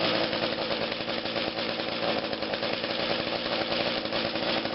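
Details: Small two-stroke engine running after its carburetor was taken apart and cleaned: a high, buzzy drone holds an even pitch without stumbling or cutting out, so the little engine is running properly.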